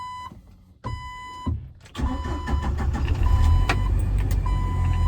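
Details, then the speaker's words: 1997 Jeep Wrangler TJ SE, 2.5L four-cylinder, manual, about 204,300 miles, after installing a remanufactured PCM and reconnecting an unplugged sensor: chime beeps, a short crank, then it catches cleanly and runs steadily. Normal start. "And it runs."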